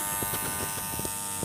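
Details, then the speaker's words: JGY 370 12V brushed DC gear motor, 40 rpm version, drawing about 1 A under load: steady high electric buzz with light brush hiss, no gear whine, gears likely quiet due to grease; healthy. "काफी प्रेसा इसकी gearing हुई हुई है और हो सकता है इसमें ग्रीसिस वजह से गियर्स में से कोई साउंड नहीं आ रहा"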